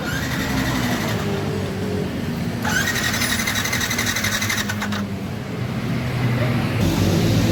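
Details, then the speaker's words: Older Yamaha NMAX scooter that won't start: the starter spins the engine steadily for several seconds but it never fires; fuel is present and water was found in the fuel, possibly rainwater. "Oke, ini kedatangan motor Yamaha NMAX old dengan keluhan tidak bisa hidup alias tidak bisa nyala mesin Yamaha NMAX ini. Coba kita starter."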